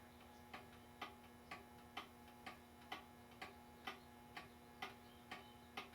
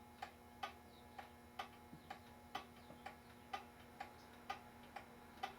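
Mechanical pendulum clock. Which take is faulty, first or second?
second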